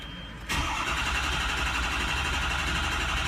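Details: Truck with hot no-start and wrong oil filter noted: starter churns at about four beats a second in a steady drone without catching on hot restart; ICP sensor suspected as cause, unconfirmed.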